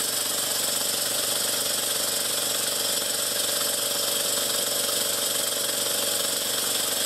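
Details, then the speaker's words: Stuart S50 steam engine, freshly lubricated, on its first startup running on compressor air through oversized silicone piping. Fast, steady airy chuffing over a constant hiss with an even beat and no knocks; it runs fantastically. "well guys it runs actually fantastically"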